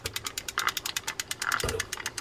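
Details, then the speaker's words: Fishing reel tested by turning the handle with the drag tightened: rapid rough ticking and grating with each turn. Free spool works fine; bad, worn gears need replacing. "that's a bad gear okay so what I like to do then I know I'm going to have to order gears for that and it's going to take a few days"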